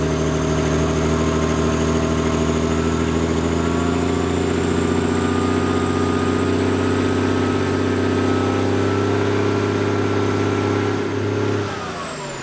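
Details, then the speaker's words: Semi truck sitting about 23 to 30 years, cold start before loading on a trailer: big diesel settles into a steady, even low idle with no knocks or misses, then winds down; healthy running. "I need to start it up and and crank the wheels a little bit so it'll roll up on the trailer better let's see if it cold starts as easily as it has"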